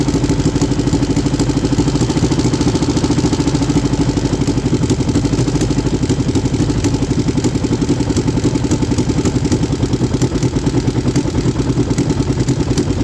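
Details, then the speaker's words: 3D-printed inline two-cylinder four-stroke engine in later testing: fast, clattery chuff that isn't quite even; misfire on cylinder 1. "I did more tests on the engine, but I'm gonna show you this last clip where it developed a misfire on cylinder 1."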